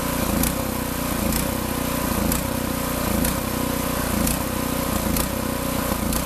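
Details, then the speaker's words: New Predator 6.6 HP 224cc OHV horizontal-shaft gas engine, first test run, run dry for storage: it surges and sags about once a second as it starves for fuel before stalling. "that's what it sounds like when it runs out of fuel always a good idea to run these out of fuel when you're when you're going to park them for a while"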